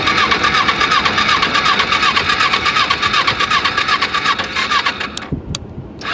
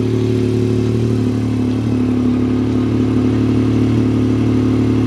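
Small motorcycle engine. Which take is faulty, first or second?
first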